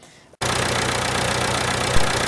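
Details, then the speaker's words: Roughly 70-year-old International 275 tractor diesel after injector work and an hour and a half of battery boosting: brief crank, catches at once and settles into a steady, even idle with no misses, revving clean. "there we go so as you can hear it's ticking over nicely I boosted the battery for about an hour and a half and of course it wound over a lot quicker and away it went"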